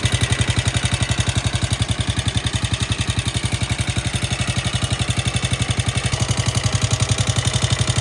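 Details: FT150 motorcycle single-cylinder engine at idle with a sharp, regular top-end ticking that sounds like valves; suspected lower rocker arms or camshaft.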